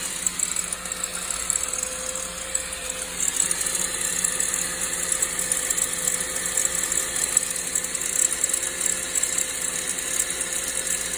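Thin, fast metallic rattle over a quiet idle, steady throughout, coming from the front belt or timing chain area.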